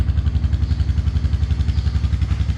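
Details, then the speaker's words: Honda FourTrax TRX300 ATV, long-sitting auction machine, idling just after first start-up: steady low even thumping from the single, no stumble or misfire, and no smoke; engine idling smoothly. "whoa holy smoke this thing ain't even smoking that was no no joke no editing I just started up this thing ain't even"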